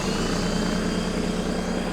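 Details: Air compressor (about 1100–1500 W) powered from the bed outlet of a 2023 Ford Super Duty 6.7 High Output Pro Power Onboard in generator mode: steady even motor and pump drone with constant low hum, running smoothly under load.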